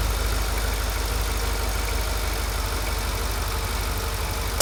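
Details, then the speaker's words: Mercedes SL55 AMG (M113K, nearly 200,000 miles) first start after installing new double idler and tensioner pulleys replacing plastic ones: steady, even idle with no squeal, chirp or rattle from belt or pulleys; normal idle. "Everything seems to be good. We're gonna let it run for about 10-15 minutes, and then I am gonna go take it for a test drive."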